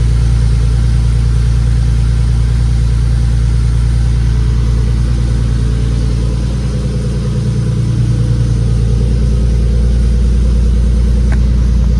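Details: Nissan 240SX S13 with a swapped 370Z engine, newly running with no fault codes, exhaust pipe still needing repair: a deep, even idle with a steady low pulse and a brief dip and recovery; a normal idle.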